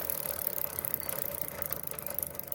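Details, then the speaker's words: Motorcycle rear wheel spun with chain correctly tight, links, sprocket and lock checked fine: fast steady kat-kat clicking from dry drive chain; fix is lubricating chain with old engine oil via syringe. "कुछ इस तरीके से आवाज आ रही है इसमें cut cut cut cut इस तरीके की"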